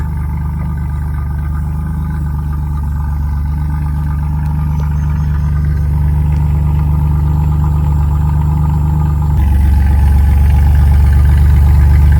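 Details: 1997 Chevy Camaro RS, 3.8L 3800 Series II V6, Cherry Bomb Turbo muffler with new turned-down tailpipe: a deep, even burble stepping up slightly with revs, no boom or drone; outside level barely changed, interior drone gone.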